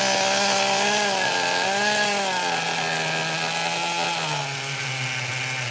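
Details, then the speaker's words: Vintage HPI nitro RC car on first start: a high, buzzy idle that runs too fast and wavers, then settles lower; the idle set too high was engaging the clutch bell. "All right. It runs, but I think the clutch bell, let's see, there's too much engagement with the clutch. Let me lower the idle screw a little bit. It was too high idle."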